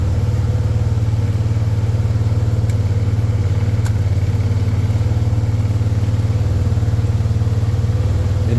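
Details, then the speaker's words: 2013 Arctic Cat Wildcat 1000 on first drive after repairs: even fast engine beat that never drops back; owner suspects air in the fuel system, cause unconfirmed, and the high idle later went away. "I'm pretty sure there was just some air in the fuel system so but otherwise I don't really know it was up with the high idle but it ended up going away"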